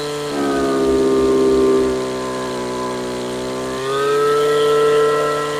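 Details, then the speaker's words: Stihl FS55 RC two-stroke string trimmer at wide open throttle, carburetor adjusted rich until it four-strokes with a burbly, uneven note, then leaned slightly so pitch steps up and runs cleaner; target just lean of four-stroking. "And then what we're gonna do is we're gonna richen it so that it 4 strokes, and then we're just gonna lean it out just a little bit after that."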